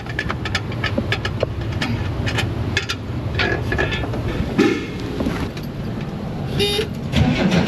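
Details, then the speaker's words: Car towed in after running out of gas, cranked on an Avapow A68 jump starter to draw fuel through an eight-foot line from the front tank to the rear engine: ticks and clicks, then it catches and runs evenly with throttle blips. Normal start. "[Music] it runs"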